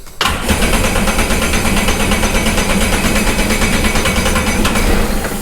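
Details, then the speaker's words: Sea-Doo Sportster Speedster jet boat out of the water, after the original starter solenoid was refitted: starter spins the engine at a steady churning beat for several seconds without catching; owner suspects it is flooded from repeated priming. "it's probably so full of fuel because it's been priming so many times it's probably pissed at me"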